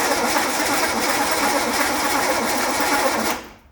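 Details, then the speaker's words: Cranking after bigger battery fitted, points fine but killing their own spark: fast, even starter whirr that never fires; no spark as points arm shorts to distributor body, boot barely making contact. "the spark is going away crank what are you getting for spark you getting any on there try again"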